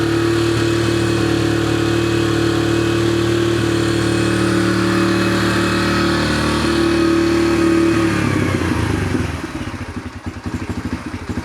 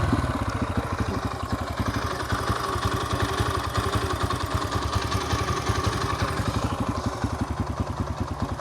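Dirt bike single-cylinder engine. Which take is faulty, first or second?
second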